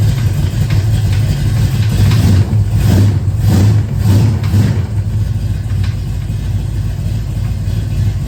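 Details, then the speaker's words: 1970 Chevelle after big block swap, first start with valve covers on; lumpy idle with loose ticking pulse about twice a second, owner suspects a rocker out of adjustment; engine also not staying running. "I wonder if we have a rocker out of adjustment now because that's what that sounded like."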